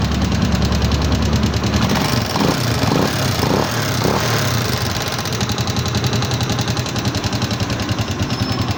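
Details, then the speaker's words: Microbike EXT motorcycle idling before a tune-up, irritatingly noisy enough that the owner expected a teardown: fast, steady light ticking of three or four clicks a second over the idle. The tappets are adjusted during the tune-up that follows. "Akala nung may-ari ibababa na yung makina ng motor niya kasi sobrang ingay mga boss amo. Nakakairita yung ingay."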